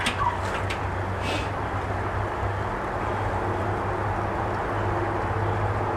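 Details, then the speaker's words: 2000 John Deere 4X2 Gator, warm restart after a ride, following ignition coil replacement: settles into an even low idle with no sputter or stalling, birds chirping nearby. Normal warm restart; a bad coil looks to have been the problem. "y'all saw it i was i was holding my breath but that was um so indeed it does look like that a bad coil was our problem"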